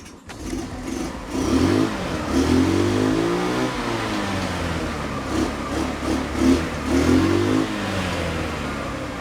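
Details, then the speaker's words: Old 150cc scooter revived from dead in the jungle, now with a working starter button and kill switch. It starts on the first touch, settles into an even putter, then revs up and back down cleanly with no misses; healthy. "Kill switch works, starter button works. From dead in the jungle just a few days ago to ready to rip."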